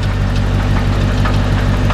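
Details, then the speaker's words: Chevrolet Corvette C4 at idle after being driven hard, hood open, no visible oil leak: heavy, fast knocking over a rough, uneven idle, from inside the engine rather than a pulley or belt; engine knock at idle. "that can't be good and it's not like a pulley or anything moving around it's definitely something in here"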